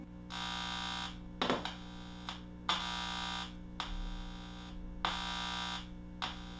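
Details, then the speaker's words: 1962 RCA Sound Cartridge Player after capacitor, resistor and selenium rectifier replacement: hum injected into the playhead with a screwdriver gives buzzing bursts about every two seconds; both amplifier channels pass signal, normal output. "we're getting output from both channels."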